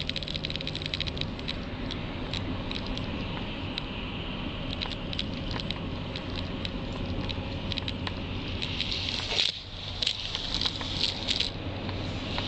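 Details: 2009 Volvo XC90: quick light ticking rattle, intermittent, over low road rumble from behind passenger-side dashboard; stops when pressing down on top of dashboard.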